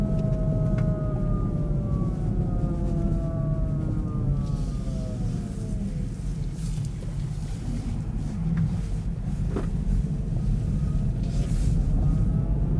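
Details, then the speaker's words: Kia e-Niro EV driving at about -35°C, battery at -20/-13°C; loud siren-like whine over road rumble whose pitch lowers under braking regen, attributed to the drive motor. "so yeah that's definitely the motor because if you press the brake and it goes into the region you hear the noise the freak the pitch the noise pitch lowers"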